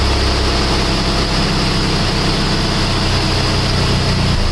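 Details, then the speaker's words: PT Cruiser 2.4 after installing a used cylinder head to cure an idle misfire, idling over five minutes and warming to mid temperature, small exhaust leak remains: steady, even low idle, no knocks, misses or ticks; normal idle. "right as you can see the more it runs the smoother it gets it's been running out for over 5 minutes"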